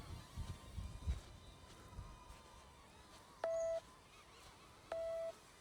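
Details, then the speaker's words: Two steady electronic tones about 1.5 s apart: an obstacle-proximity warning from the phone app of a Neo 2 drone flying near obstructions in follow mode; the beeping comes from the phone and stops when its volume is muted. "Okay, it's the phone that is beeping, so if I turn down the volume totally, and I do the same thing again, okay, the beeping is gone"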